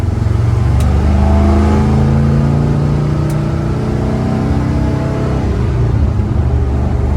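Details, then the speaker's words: 1974 Corvette V8, before the carburetor retune, after new spark plugs and a compression check. Full throttle pulls strongly up to about 75% throttle, then the note goes flat and muddy and falls on its face, flooding out: carburetor bog. "I punch it, it's just completely, you know, flooding out and falling on its face like it is."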